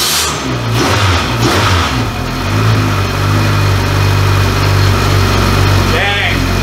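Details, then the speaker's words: Rebuilt Honda K24 four-cylinder in AWD Civic, first start after rebuild, primed with oil: crisp rev settling into steady even idle with no knocks or ticks; sounds healthy. "uh man it sounds good"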